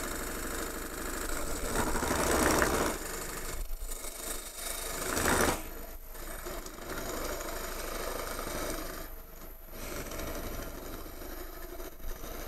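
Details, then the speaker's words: Wood lathe turning a bowl blank from a branch, cutting a recess without the tailstock: rough, uneven buzzing chatter that surges and fades because the workpiece sticks out too far; workpiece chatter from excess overhang. "You hear the extra noise, that's vibration because it's sticking out a little bit farther."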